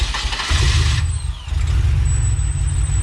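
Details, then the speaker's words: Supercharged Pontiac Bonneville SSEi engine after a vacuum leak fix (gasket replaced with RTV), first start: it cranks briefly, catches and settles into a steady low idle, running seemingly normal with no leak. "it's running it's running normal dude somewhat i mean no back leak that's a great noise but at least it's like seemingly running okay"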